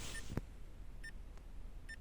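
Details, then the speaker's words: Vauxhall/Opel Corsa E 2014–2019 bladed key programming via OBD port, ignition on: programmer light goes purple-pink and gives short high double chirps about every 0.85 s in a quiet cabin, normal countdown during the roughly 9.5-minute security wait. "Now the little light on the program will go a purpley pink colour, and you'll hear a little chirp as it counts down."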